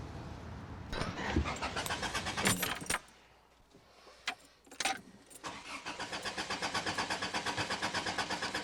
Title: Car Cranking Won't Start for Woman in Parking Lot